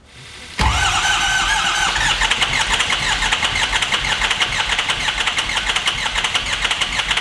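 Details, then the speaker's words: Adventure bus engine restarted after a fuse box bad-pin fix runs with an uneven, chuffing choo-choo beat, about three puffs a second; cylinder 7 dead and misfiring, fuel pressure 60 psi, injectors good. "And do you hear how it sounds like a choo-choo train? Yeah, that's because cylinder 7, it's not doing anything. It's misfiring."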